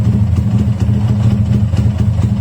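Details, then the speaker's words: Fresh SND ZS190 engine (Daytona Anima replica) just installed, electric-started, not yet warm, quietest of three silencers fitted: steady lumpy low thump at idle with slight clatter, rough modified-bike character but even firing; healthy. "Nah ini mesin udah nyala ya. Oke. Karakternya memang suaranya tidak halus kayak motor standar, tapi kayak motor korekan pada umumnya ya."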